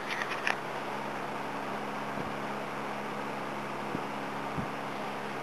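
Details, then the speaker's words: Electric heater, owner thinks about 50 to 60 years old, after cleaning, running on low heat (old switch); soft steady motor hum under gentle rush of air, no squeal or rattle, fan runs smoothly. "that switch is getting a bit old so I just leave it on low Works quite well"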